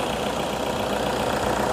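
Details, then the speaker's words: Toyota Innova diesel 2KD engine just reassembled and restarted, before break-in: even diesel idle with steady clatter, no irregular knocks or misfires; engine sounds clean, normal idle. "Suaranya pun juga cukup bersih."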